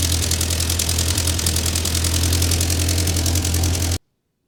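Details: Ford 9N tractor that sat 10-15 years, just after the fuel system was redone (carburetor float had been stuck closed): even, steady low four-cylinder thrum at idle, no knocks or misses before shutoff. Runs healthy, though heat is building and the upper radiator hose is bad.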